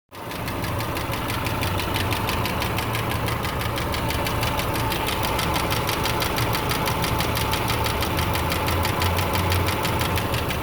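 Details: 2008 Subaru Legacy 2.5i Limited flat-four idling: steady light tick about three per second from the passenger side, with check engine light, P0303 misfire on cylinder 3; owner wonders about rod bearing, lifter, valve adjustment or timing.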